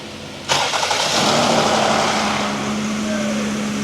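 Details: Jeep 3.7 V6, first start after repair with oil pan gasket replaced: quick crank then fires at once into an even steady idle with no knocks or misses; healthy start.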